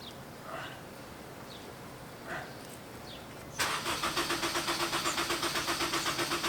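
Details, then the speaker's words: Honda S2000 the morning after cam reinstall and a good test drive: steady starter cranking about four beats a second, engine never fires; crank no start, cause not identified. "prank no start okay uh [ __ ] i need like an hour to get to work uh in the morning"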